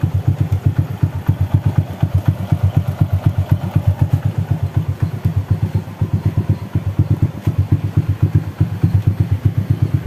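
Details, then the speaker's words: Honda Astrea/Supra-type single-cylinder after valve adjustment, idling: valves now quiet, quick even klek-klek clatter on every beat comes from the hand (manual) clutch conversion; clutch clatter at idle. "ini suara yang klek klek klek KK klek itu karena motor ini sudah menggunakan kopling tangan atau kopling manual jadi suaranya agak sedikit berisik di koplingnya"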